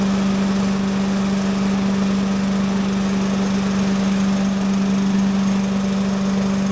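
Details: Little Wonder leaf blower with a small single-cylinder Briggs and Stratton engine, choked, running at part throttle: a strong, steady, constant drone with slight shaking. It sounds healthy; normal running.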